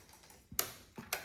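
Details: 2005 Ninja 500 with a starter electrical fault being traced at the fuse and wiring: two sharp dry clicks about half a second apart and no cranking. Starter clicks, no crank.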